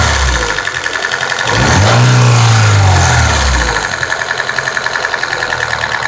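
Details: Nissan SR20DEH engine idling with a steady ticking pulse, about three to four a second, through a brief rev; unidentified strange noise.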